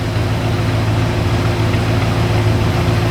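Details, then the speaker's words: Freshly reassembled 1966 Chrysler V8 idles with a deep, even burble and no stumbling or hunting; described as running nice and steady with some exhaust smoke; normal idle. "yeah boy that's running nice hey pretty good yeah sounds nice and steady little carbon footprint yeah nice carbon footprint coming out"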